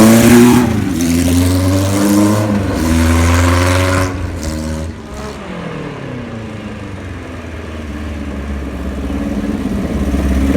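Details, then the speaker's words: 1976 Kawasaki KZ900 engine fired up for testing after a new cam chain and gaskets, with the clutch and stator done; it smokes slightly on colder plugs. Revs rise and settle evenly with no knocking or top-end ticking, so it runs normally. "now keep in mind well we did was just put a cam chain in it and the gaskets and there's no motor noise or anything like that"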